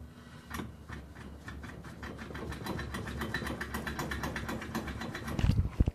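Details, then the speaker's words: BMW E39 528i 2.8L, about 55,000 miles, driving with the exhaust removed: fast steady ticking over a low drone, then heavy clunks; the clunk stopped when the driveshaft was held. "hear that that's coming from right here this guy right there see I have determined that because I held the drive shaft and I tried to reproduce the problem and it didn't happen so I know that my problem is not the CV joints"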